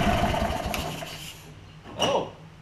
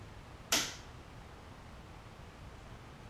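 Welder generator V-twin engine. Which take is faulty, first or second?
first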